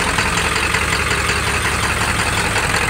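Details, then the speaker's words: OBS Ford F250 Powerstroke diesel, about 300,000 miles, straight-piped, untuned, leaking fuel from lift pump: uneven loping idle with irregular knock two to three per second on first start after sitting, fading after a moment; cause not yet found. "this also had a bad loop every time you would first start it after it sat for a minute it would lope real bad for a second then it would go away well there it is"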